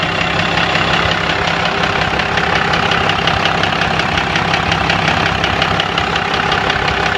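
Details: 1997 Dodge Cummins diesel idling: sharp, even metallic knock about three per second, started last week; some fuel in the oil, no metal shavings, lift pump seems good; owner suspects injector (fuel) knock, unconfirmed.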